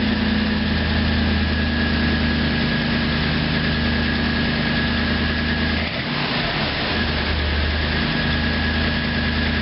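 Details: Cold-start ticking at idle on a Toyota Tundra V8: a light, quick tick over the low rumble. Owner can't tell if it's valves, piston slap, exhaust manifold or an injector. At about 50 degrees the tick faded within minutes.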